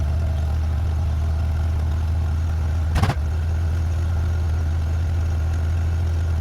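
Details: 1994 Honda GL1500 Goldwing Aspencade, first start in two and a half years after aftermarket fuel pump replacement, choke off: smooth, steady low hum, no knocks or misses, one brief handling thump; idling evenly, sounds healthy.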